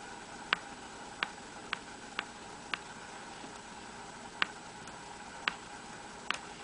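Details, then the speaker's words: RCA 87T tube radio after 10-12 minutes powered on: sharp, irregular cracks over a quiet hiss when the switch is turned, with no hum and no audio, and volume does nothing; it likely needs a recap. "oh it's been running 10-12 minutes um and there's no real noise i don't get any hum out of it but if i turn the switch you can hear a little crack on the speaker"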